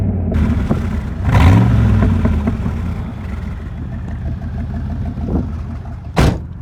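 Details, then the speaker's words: Rebuilt engine revved after first start: blips up and settles back to a steady low rumble, no knock or clatter; idle reads about 11.1:1, rich on the driver's side for unknown reasons. "but anyways, I got this thing going again, and so far so good. Give it a couple revs so you can hear it."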